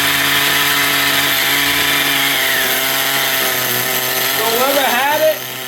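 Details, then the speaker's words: XTM Baja Outlaw RC truck small engine, restarted, with a high steady buzzing rev instead of a slow idle; the carburettor idle gap was set too open. High idle. "Had it idling too high, the idle gap was too open. Woo! Yeah, whoever had it, he had an idle too damn open. That's why it's revving so much."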